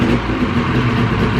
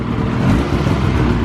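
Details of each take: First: 2000 Ski-Doo Grand Touring 600 two-stroke snowmobile, sat outdoors 3+ years, first start after carb cleaning on full choke: slow, uneven, labouring idle near stalling; idle speed set too low and needs raising. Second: 2000 Ski-Doo Grand Touring 600 two-stroke snowmobile, after sitting outside 3+ years, carb cleaned and battery charged, running a steady even drone with no pops or misses, track suspended; runs cleanly.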